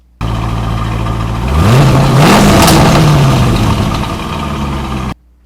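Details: 2002 Corvette Z06 serving as a normal-noise reference before chasing a front belt-drive squeak: the engine revs cleanly from idle and settles back, steady and even, with no squeak or knock.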